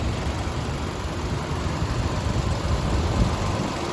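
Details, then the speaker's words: 2013 Nissan Almera 1.2 E petrol with automatic gearbox, idling with the hood open and dipstick pulled showing no smoke or vapour: smooth, even low hum with no ticking, knocking or misfire; engine dry, no leaks; normal idle. "มีเครื่องติดอยู่นะครับคุณลูกค้าผมดึงไม้วัดโชว์เลยครับไม่มีควันไม่มีไอเลยครับ"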